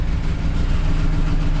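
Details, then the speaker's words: BMW E39 straight-six that made a bang and no longer runs on all six cylinders, with smoke around the car: heavy, uneven low chugging with irregular thumps and no steady beat; running very roughly, cylinders dead. "Let's see if it starts and if it even moves. It is making really bad noises"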